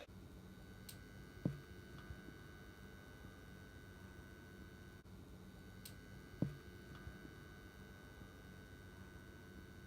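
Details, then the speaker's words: Household lamp gives a steady low mains buzz with faint higher overtones and no rhythm; electrical buzzing, cause unclear. "Oh, it's making so much noise. Can you hear that? It's really buzzing noise."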